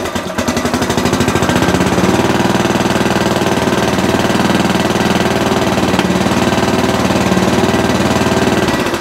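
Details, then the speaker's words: Sovereign lawnmower single-cylinder engine after blowing gunk off: steady chugging at fairly low, even speed without climbing; not reaching full governed revs, cause not yet found. "okay still not revving as high as i would like"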